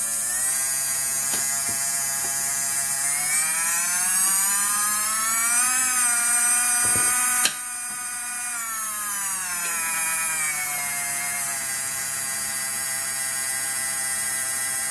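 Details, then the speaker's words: LGB small model locomotive motor after gearbox reassembly: clean whine rising and falling smoothly with speed, no grinding, catching or rattle; runs better than before. "It runs better than it did before. I never let you hear that but yeah, believe me, it runs better than before."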